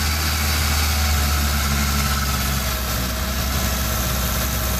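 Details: 1987 Honda CRX carbureted engine, head rebuilt after bent valve from broken timing belt, running very lean and won't idle: uneven loping idle; suspected vacuum leak at carburetor base plate, unconfirmed.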